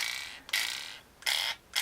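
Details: Frsky X-Lite Pro gimbal after its spring tension was adjusted: three crisp, ringing metallic snaps about three-quarters of a second apart as the stick springs return firmly and cleanly.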